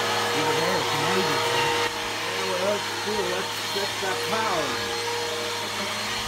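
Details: Bissell PowerForce Helix 1240 upright vacuum (newer upgraded version) on carpet: steady motor whine with a wavering, warbling tone; brush roll bearings going out, not the motor, so the brush roll needs replacing soon.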